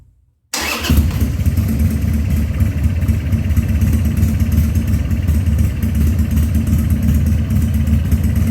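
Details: 2000 Harley-Davidson 1200 Sportster after carburetor rebuild and leak fixes, restarted with the air cleaner on: cranks and catches at once, then settles into a strong, even, loping V-twin idle with no misfire; normal start and idle.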